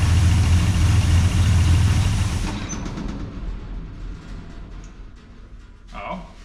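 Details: 1969 International C1100 pickup with Valiant 265 Hemi, first run after sitting years: loud, uneven, loping run that shakes then dies away, "running like a hairy goat"; rough running from open vacuum hose leaking air; owner also suspects lifters and dodgy spark plugs.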